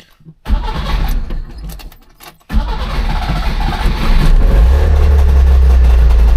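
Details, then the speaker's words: Trabant 601 two-stroke: fires after a short crank, then settles into a lumpy, uneven low idle that won't hold; carburettor out of adjustment, next step is unscrewing an adjustment screw about one turn. "Okay, ist scheiße jetzt, aber machen jetzt mal Folgendes, wir versuchen jetzt mal die Schraube hier einfach ein Stück rauszudrehen."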